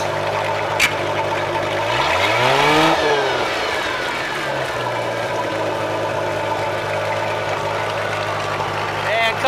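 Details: Tahoe boat engine after routine service (oil and filter, fuel filter, new spark plugs; compression 169-179 psi), previously running on 3 or 4 cylinders; in gear, swells under throttle then settles to steady even drone; running healthy, only a minor miss remains.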